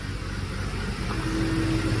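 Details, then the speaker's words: 2002 Chevrolet Avalanche with a dual electric fan upgrade, engine below operating temperature and AC off: a low steady, even idle with no fan running; normal. "still got no fans right now so whenever it gets up to temperature I'll show you all the other one kicking on"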